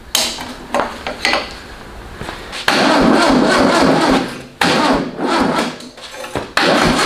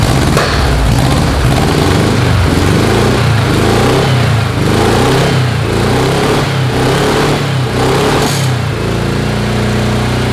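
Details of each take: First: VW-powered custom trike with tracks, carburetor leaking: uneven cranking bursts with long grinding stretches as the starter drags, smokes and glows red. Starter overheating and failing; timing also seems off, with backfiring through the carb. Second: Carbureted VW engine on a custom tracked trike, first start after build: strong, even exhaust beat rising and falling smoothly with throttle blips, no misfires or knocks. Normal running.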